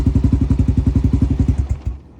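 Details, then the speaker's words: Honda XR650L: steady single-cylinder thumping about nine beats a second cuts out abruptly and dies because the clip on the connector into the box by the battery is loose; fix is to snap it fully in and lock the green tab. "this little connection right here into this box that sits by the battery won't run without this and that little clip right there was loose so every time you'd move it it would die"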